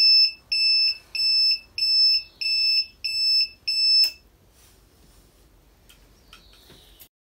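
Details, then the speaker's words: Suzuki RV90 VanVan after renovation, turn signals on: high electronic beep pulsing about every two-thirds of a second, regular and clean, like a reversing garbage truck rather than a click-clack; turn signal beeper working normally. "Bon alors d'accord, ça fait un peu camion poubelle qui recule. Mais au moins on entend les clignotants. J'ai pas bien lu sur la description que c'était un bip et non pas un clic-clac."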